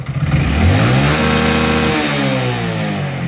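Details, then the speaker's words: Hero Glamour 125 after a clutch plate change: engine revs then runs steady and even with the clutch let out; no rubbing or scraping, healthy. "আগে যে বাইকের একটা sound ছিল, মানে কোনো কিছুর সঙ্গে ঘষা খাচ্ছে, এই সাউন্ডটা আশা করি এখন নাই, আলহামদুলিল্লাহ। আর কোনো সমস্যাও হবে না।"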